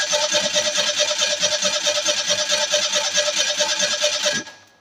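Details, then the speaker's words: 1987 Ford Ranger 2.3L four-cylinder 2WD, sat for years, previously ran: starter cranks steadily for about four seconds, never catches; crank no start, fuel filter or injectors not firing suspected, unconfirmed, fuel pressure untested. "I really wish I could test fuel pressure at the rail so then I would know it could be a fuel filter um could be the injector's not firing something's obviously not happy because it was running"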